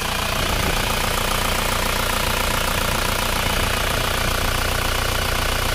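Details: Isuzu Panther diesel, cold just after start, idling with a rough breathy chuff under the clatter; clogged PCV valve in the valve cover pressurises the crankcase, dipstick hisses when fitted, hiss stops when pulled, smoke coming out.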